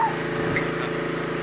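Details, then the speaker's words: Nearly new lawnmower with only 10 hours, after a mouse was found in the muffler; the engine holds a steady, even drone without bogging, surging or sputtering, the way it's supposed to sound. Normal running. "shut her off boy now that's the way they supposed to sound not like that"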